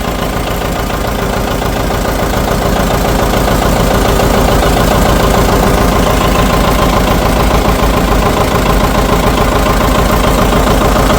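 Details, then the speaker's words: 1959 John Deere 730 two-cylinder just started after sitting about a year and a half, good oil pressure: slow even putt about 140 beats a minute, steady, no misses; normal healthy idle. "Okay. That's nice to hear it running. Well, that runs pretty good. That sounds real nice."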